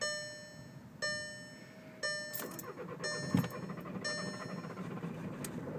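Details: 2011 VW Jetta TDI diesel at 45°F, 3/4 tank, key held for glow plugs: warning chime, uneven cranking bursts, never catches; started then died, restarted after 30 minutes, possible fuel delivery problem suspected.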